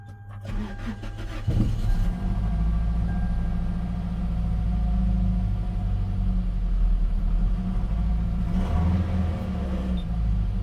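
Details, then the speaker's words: Gen 7 Toyota Celica just after replacing the fuel pump, filter, pressure regulator and sock: about 1.5 seconds of cranking, then it catches and settles into a steady deep idle; owner thinks it is relearning fuel trims. Normal cranking and start. "I can hear it. Now it's idling a little better."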